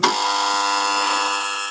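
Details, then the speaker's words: Old regenerated original GDR Simson spark plug (brown box) on a pressurized compression tester, around 6.5 bar: steady even buzzing crackle, sounds nice with hardly any misfires; misfires increase with higher chamber pressure. "Also man hört auch am Klang, sie läuft wirklich schön. Und kaum Zündaussetzer."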